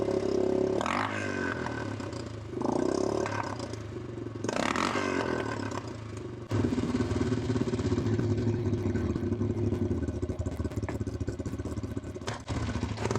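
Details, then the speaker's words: Honda TRX350 ATV single-cylinder engine after carburetor cleaning and refitting a forgotten part, blipped in bursts; revs flatten and stumble near the top instead of pulling clean, owner unsure why it loses power at high RPM. "Oh, good. I don't know why it's losing power at high RPM."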